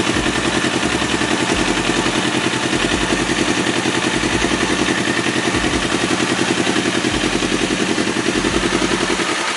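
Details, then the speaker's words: 2018 Kawasaki All New Ninja 250 twin with slip-on racing exhaust, stock header and catalyst, idling: fast, even, harsh rattly clatter. Normal factory roughness of this engine, nothing loose or damaged. "ini bukan kasar karena motornya ada yang kendor ada yang rusak tapi memang bawaan dari motor ini suaranya memang seperti itu"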